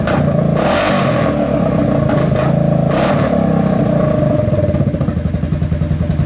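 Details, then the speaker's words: Kawasaki KFX700 V-twin quad, carburetor cleaned, spark present, fresh gas in: rough idle with uneven, stumbling beats and the odd pop backfiring into the intake; intermittent misfire, cause unknown (owner suspects a stuck valve or timing chain). "So it still has the misfire or whatever it is, the backfire into the intake. It sounds like a misfire. It sounds like it's backfiring into the intake."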